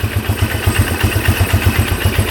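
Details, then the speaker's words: 1997 Polaris Magnum 425 6x6 ATV (free, seller said it wouldn't run), idling with no pops or misses in an even single-cylinder thump; owner guesses an unprimed fuel pump had starved the carb, running lean, and it cured itself. "so we may be locked out here but it sounds pretty good now not a single pop out of there so it cured itself"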